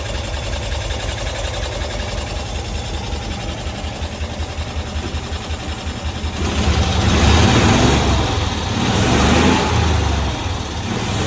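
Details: 1992-ish Cushman Truckster, revived after years in a field, tested in gears (reverse, first, second, third) without brakes: small engine putters evenly, then picks up cleanly under throttle, revs rising and falling smoothly without stumbling; normal revving.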